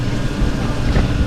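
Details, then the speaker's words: Hoshizaki ice machine after reset (hold button two to three seconds to stop beeping): steady, even low hum with no beeping, rattles or surges; running normally, easy fix. "Looks like rather the money in the machine it's working"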